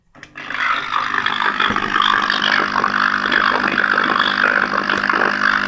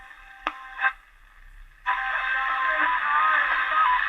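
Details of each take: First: Fire-damaged German radio powered with its original transformer wired through a bridge rectifier to the main capacitor: loud, steady hum with a rough, hissy roar that doesn't clear; power supply fault, main capacitor and transformer suspected. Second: Fire-damaged German radio after replacing the faulty transformer, whose output had diminished: after a couple of clicks the station comes in clear and steady with no hum or crackle; radio working normally.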